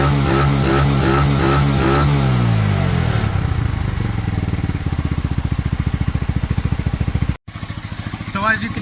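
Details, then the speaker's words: Pioneer Nevada motorcycle after new carburetor and rust-cleaned tank, choke off: revs up and drops back, then settles into a steady, even single-cylinder idle without misses, slightly sticky throttle; running normally on its own. "in the background there she is now fully running on her own the new carb with obviously the cleaning of the tank seems to have done the trick"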